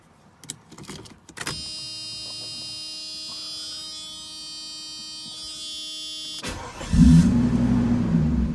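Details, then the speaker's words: 1991 Mercedes 500SL R129 M119 V8, intermittent high idle when warm, restarted after 10-minute soak near 80-85°C, idle control valve cleaned: long electric whine, then fires into loud raised idle that hangs high; slightly better, cause unconfirmed. "Oh, I kind of felt it go high. Oh. Well, seems to be a little better."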